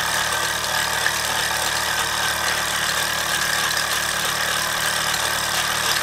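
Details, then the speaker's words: Mamod SR1 steam roller (1963/65, probably 1965/66), aluminium wheels with rubber tyres, running on rollers: constant even steam hiss, soft steady chuff, whistle pressure tight with no leak; very smooth runner; normal running. "Very smooth runner."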